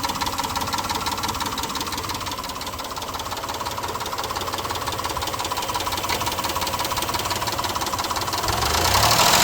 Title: Montero tick or slap. IS this a stuck valve lifter or piston slapping?